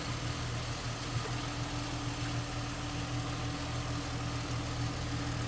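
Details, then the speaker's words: 2007 Ford Mustang convertible idling with hood open at the engine bay: steady, even low hum with no knocks, ticks or misses; a smooth runner that sounds good. "smooth Runner sounds good and again nicely equipped AC blown cold"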